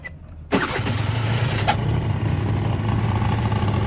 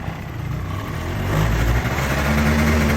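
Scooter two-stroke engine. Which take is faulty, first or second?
first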